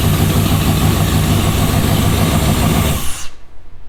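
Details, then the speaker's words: Jeep Scrambler V8 with a bad lifter, bent pushrod and likely flattened cam lobe, run as a seven-cylinder with that cylinder's rocker arms and pushrods removed and unplugged: lumpy, slightly lopsided idle before shutoff; dead cylinder. "we got a really wicked seven cylinder right there's that option we took the it's not taking intake it's not taking anything in it's not exhausting it's not doing anything just running it as seven"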